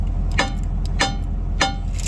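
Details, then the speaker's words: 1986 Ford F8000 sat about 8 years, driver's side rear brake drum struck with big hammer: three hammer blows each leave a clear lingering metallic ring, shoes broke loose from drum; unstuck side rings, stuck side only thuds. "Hear that ring? It finally broke loose."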